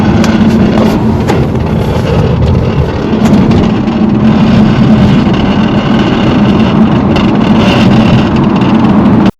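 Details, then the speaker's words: BMW driving with a rough, continuous scraping drone and steady low hum, after rear struts were replaced: a sagging parking brake cable rubbing on the driveshaft; fix is zip-tying it up. "so it looks like it is a common problem where the E bra cable fell and it's touching the drive shaft"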